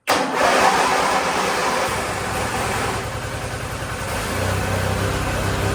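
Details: Weather-worn Wheel Horse GT-1600 WorkHorse garden tractor with a Briggs single-cylinder, at full throttle after ether and repeated tries: it cranks, catches and settles into a steady putter around four beats a second, firing and running cleanly.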